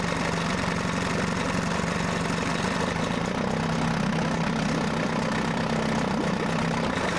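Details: Mercury 9.8 hp 110 outboard after clearing a clog in the pilot hole and adjusting idle: a steady, even buzzing idle with no misses, surging or knocking. It is a normal, healthy idle.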